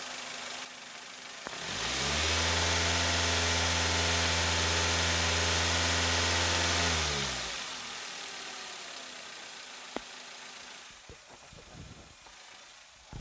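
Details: Daihatsu Xenia engine after repair of a rough, sewing-machine-like noise with new lifters, valve cover opened and camshaft removed, microphone held close. Revs climb smoothly, hold about five seconds, settle cleanly with no ticking: normal engine revving.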